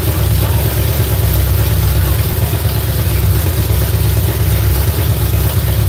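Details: V8 on a newly fitted ignition box: heavy, rough rumble that sounds lazy and lacks crisp response when revved. Flames were seen from one side when run up; ignition timing is suspected to be off, not confirmed.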